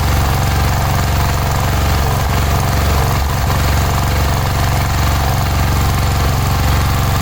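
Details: Cub Cadet 1106 riding lawn tractor (1987; listed as 1986), sat over 4 years, bottom carburetor adjustment screw ineffective: loud, hard-thumping small engine with an uneven, stumbling beat at steady speed. Rough running; old fuel through fuel line suspected, not confirmed.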